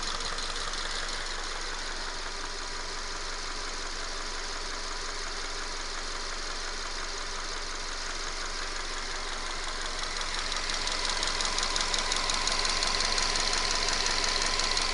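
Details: 2011 Subaru Forester FB25 flat-four, 126,000 km, 0W-20 oil, burns 1–2 L per 5,000 km; light steady metallic tapping, about three per second, only when warm at idle; owner attributes it to camshaft wear, not piston.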